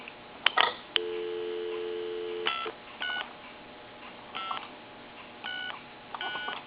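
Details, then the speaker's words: Later-model wood wall telephone after repair, receiver audio: dial tone, dialing tones and busy signal, clear with none of the earlier open-mic-like rushing noise; transmit working; clean line. "But I just don't hear that rushing noise that we heard before. It was just, it was enough to get in there and really bother you when you were trying to talk on the phone."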